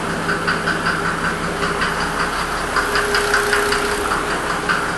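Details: 1992 Mercedes 300SD diesel with knock and smoke, idling with AC being toggled: steady hum plus irregular sharp knock two or three times a second over the clatter; knocking, cause undetermined.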